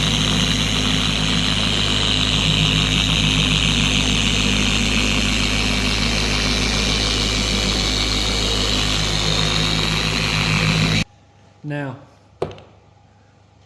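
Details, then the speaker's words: Four-year-old Carbon Collective DA polisher after its gear head was regreased with red lithium grease, tested at a higher speed setting: a steady, even whir with no high-pitched scream or rocking. Normal running. "To me, the polisher is a lot more quiet. It doesn't scream anymore. And those that do this will know what I mean."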